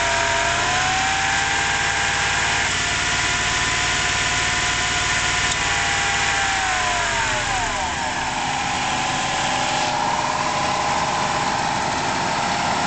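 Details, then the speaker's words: 1994 Buick Roadmaster LT1 at idle with a newly replaced A/C compressor (pressures 30 psi low, 150 psi high, cycling out at 20): a loud whining growl whose pitch wavers and sweeps down as the compressor cycles. "well it beats the bottle that you can hear the noise and when it when it drops to 20 the compressor kicks out"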